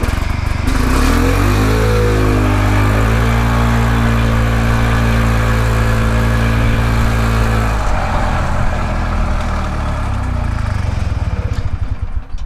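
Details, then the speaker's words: Harley golf cart single-cylinder engine just after setting ignition timing and point gap to spec; fires up and settles into an even, steady beat with smooth rev rise, now running about the same in forward and reverse; normal running. "i can tell you right now it runs very well in reverse boy it's hard to tell it seems like it runs about the same in forward and reverse now"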